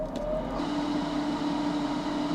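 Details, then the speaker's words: DIY-installed ventilation fan in a used kei-car camper, at medium airflow before insulating its box. A steady airy rush with a constant low hum, measured at 65dB and still noticeably loud. "Luồng khí tối đa là 70dB. Nó ồn."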